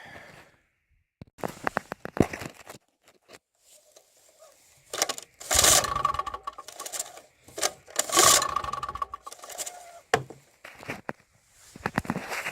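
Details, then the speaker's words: Champion generator that spewed white smoke and died, with catastrophic valve failure: each easy rope pull gives loose metallic clattering bursts and no compression thump, a mechanical rattle with no compression. The engine is suspected dead, cause not confirmed. "this thing was stuck so I had to rebuild this in order to find out this thing is dead so listen to this okay to me that sounds like death no turnover it's very easy to pull this rope by the way I feel like it's not nothing"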